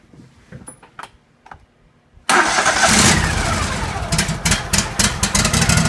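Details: John Deere L130 lawn tractor after a blown fuse was replaced with a 20 amp fuse, battery charged and properly grounded to the engine block: a few clicks, then it catches at once and runs evenly; normal start.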